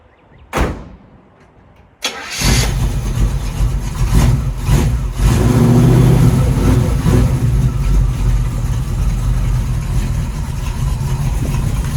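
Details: 1936 Chevy coupe after its starter problem was resolved; brief crank, catches cleanly into steady even idle with no misses or knocks: normal start and idle.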